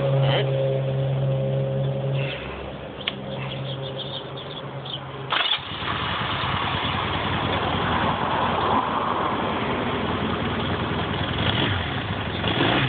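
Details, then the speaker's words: Motorcycle warmed up, just after a valve adjustment: cranks, catches with choke and settles to a smooth, even idle with clean revs; earlier rattle gone, engine sounds healthy after repair. "everything sounds pretty normal over here that rattle is definitely gone"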